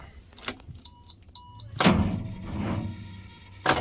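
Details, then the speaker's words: Diesel truck with glow plugs and a dead battery. With the key on there are only a couple of short high warning beeps and no cranking at all, pointing to a flat battery. "It's always started really well until now, and it is dead. The battery's dead. It won't even crank over."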